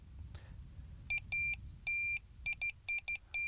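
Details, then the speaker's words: Delkim Tx-i Plus bite alarm on minor setting with sensitivity turned down, heavy fluorocarbon mainline: clear high-pitched bleeps in short and longer bursts at uneven spacing as line moves, still full indication on runs; normal response at low sensitivity. "see that's a lot less sensitive there but I'm getting full blooded runs here you know if the bobbing pulls up to the top still getting enough indication that's more than good enough"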